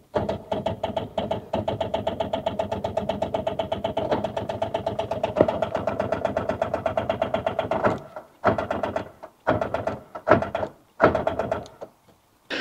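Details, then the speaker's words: Rover 800 that sat abandoned for 15 years: rapid steady starter chatter for about eight seconds, then short stabs of cranking. Footage shows the crank pulley is spinning, so it turns over but does not catch. Owner plans a boost pack and starting fluid. "Okay, so I've just reviewed that footage back and it looks like that is spinning."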